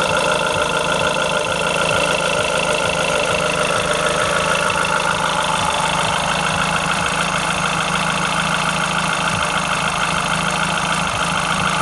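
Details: Renault Clio RS engine at idle: steady idle with ticking clatter and some metallic ringing up top; engine noise present, source not identified.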